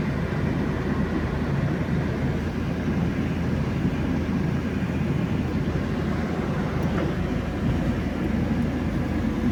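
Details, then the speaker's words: UAZ Patriot cabin while driving over rough, pothole-filled Murmansk roads: dense irregular buzzing rattle under road rumble as the gearbox rattles and the shift lever moves and knocks; owner unsure of the cause, plans sound and vibration insulation. "Едешь, коробка дребезжит. Может, кто-нибудь знает, сталкивался, подскажите, как это вот заглушить это. Шумку-то я буду делать, вибрацию буду делать, но вот этот рычаг ходит, стучит."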